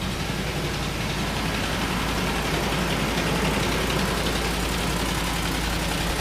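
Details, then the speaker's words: 2008–2011 Ford Expedition 5.4 3-valve V8, about 190,000 miles, at idle: steady tapping about three or four knocks a second over a rough idle; owner suspects rod knock, unconfirmed, engine to be rebuilt. "all right if you can hear that tapping definitely sounds like rodnock"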